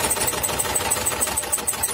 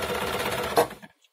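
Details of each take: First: Old Janome sewing machine inherited from owner's grandmother, brought in as not working: fast even clatter for a few seconds then stops; it runs, but stiff from old dried grease, needs lubrication, thread tension adjustment also mentioned. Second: Janome sewing machine, brought in as not working, after lubricating and dissolving dried old grease: brief even whirring run with steady fast stitch rhythm, no binding or grinding, then stops; now runs normally.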